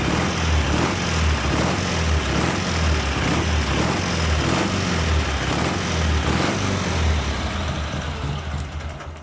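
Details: Engine after reassembly with aluminium head gasket and valves adjusted; earlier ringing knock in left cylinder, cold and on throttle, traced to heavy gas blow-by between cylinder and head; steady even exhaust pulse, smooth rumble, no knock; repaired.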